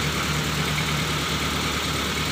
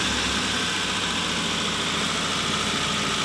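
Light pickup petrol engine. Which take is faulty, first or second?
second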